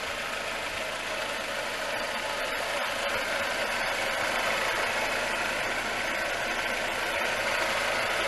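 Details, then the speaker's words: 2005 Suzuki Reno (Lacetti), D-Tech 16-valve engine with new idle air control, alternator, fuel pump and water pump, AC turned off: steady even idle hum with a smooth regular beat, no knocks or misses; healthy normal idle. "It's not a bad sounding car, so from that point, it's actually not a very noisy car inside either."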